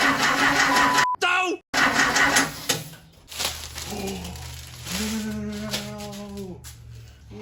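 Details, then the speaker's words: 1968 Porsche 912 air-cooled engine, freshly reinstalled, on a repeated start attempt. The starter spins for a couple of seconds with no firing. Owner suspects a weak battery. Cranks but does not start. "no luck right now kind of sucks but i'm gonna try it again man"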